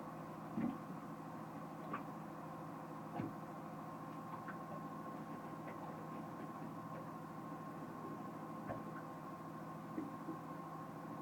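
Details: Pro Mariner battery charger on a MerCruiser boat: steady electrical hum with a faint rasp and sharp ticks every second or so; weird noise, cause unknown.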